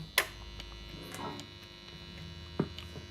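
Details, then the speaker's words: Mid-1970s Greco PB750N P Bass (Matsumoku-made), long unplayed, first plugged in to test output: constant low hum with thin buzz over it, thought to come from the location; rotating the bass away reduces it. "Plenty of buzz, plenty of hum, but that's probably just from, you know, where we are here."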